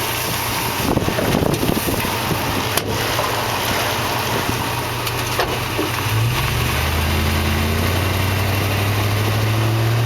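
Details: 2004 Toyota Tundra Double Cab Limited 4WD backing out of a driveway, turning over uneven ground as body weight shifts side to side, mainly turning right; sharp, pronounced pop from the rear end over low idle, plus fainter clunks.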